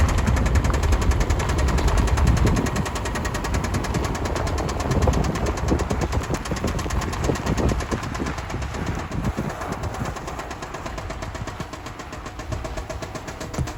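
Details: 2005 Subaru Outback XT on a short drive: deep rapid knocking rhythm from the engine that fades as revs drop — engine knock, suspected rod knock, unconfirmed.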